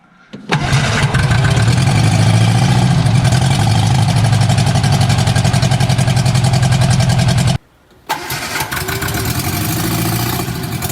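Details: Barn-find bug-eye Sprite stored 30-40 years, first run after starter rebuild, no exhaust, only the manifold: loud unmuffled hard pulses, cuts out when ignition lead shook loose, restarts.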